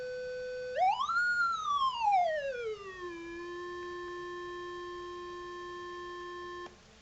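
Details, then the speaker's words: Sony STR-K840P receiver after repair of protect-mode fault, module reinstalled, no longer showing protection; left/right channel test through speakers: clean tone sweeps up, glides down and holds steady, no crackle, hum or dropout; left channel normal test tone output. "So we need to get some speakers on this and test all the channels. Okay, so we have a just a left and right channel test."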